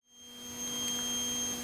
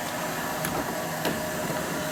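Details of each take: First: Toilet fill valve (old, before replacement) emitting a thin, steady high-pitched whistle over a low hum as the tank refills; owner replacing it with a Fluidmaster universal fill valve rather than repairing. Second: Toilet tank refilling after replacement with new Fluidmaster universal fill valve: soft steady water hiss with a few light clicks, no squeal or whistle; normal fill.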